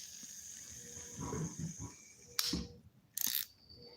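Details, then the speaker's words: Fishing reel (BFS) spool spinning freely gives a thin, high hissing whir that fades out, from noisy ceramic bearings. "There's a noisy ceramic bearings. You guys hear that?"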